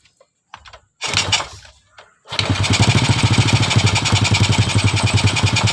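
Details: Single-cylinder motorcycle fitted with a previously 'dead', carbon-fouled used spark plug whose gap was widened: after a couple of kicks it fires and settles into a steady, even idle of about three to four pulses a second.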